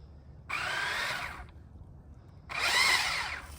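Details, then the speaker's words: Traxxas Mini Maxx RC truck on 3s with Traxxas VXL 3s system and stock gearing, after about 8 minutes of bashing: two bursts of high rasping whir with grinding in the drive as the motor spins up; rear diff suspected stripped. "What was that noise? I don't know. I think you're good. Uh-oh. Oh, no. Nope. There the problem was."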